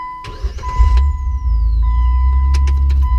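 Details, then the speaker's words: Jeep after new starter and new ground fitted: brief quick crank that catches at once and settles into smooth steady idle, no hesitation; normal cranking and start after starter replacement. "So I'm pretty sure at this point the starter fixed it, because that is a completely different sound. It had no hesitation."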